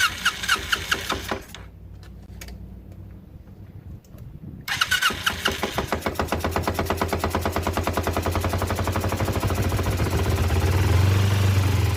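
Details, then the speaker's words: Ninja motorcycle after installing a fuel splitter feeding both carburettor lines; cranks and catches, then an uneven, lumpy stumbling idle around three beats a second. Carburettor flooding, hard start. "Now, let's see if it starts. Oh, it's already flooding out."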